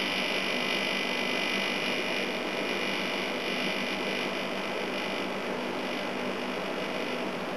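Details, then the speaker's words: Second A/C unit, with gas in it, running after earlier dry-sounding start attempts: even compressor hum under a steady airy fan rush, no knocks, rattles or cycling; compressor running normally. Set to high fan, cooling. Coils damaged and jammed into the case. "Yeah, it seems to work. I'll pop it on high fan and let it do its thing."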